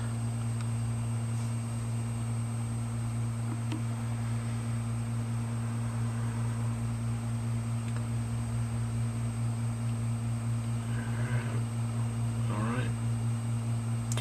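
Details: Western Digital 500GB hard drive after a head swap, imaging well: steady even whir with a constant hum and faint high tone, only occasional soft seek chatter; the drive is spinning and reading normally.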